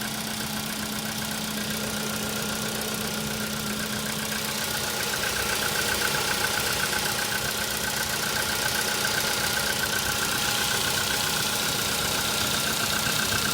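Cold idle with a sharp, even ticking knock at about four per second above the engine note; the cause has not been found yet.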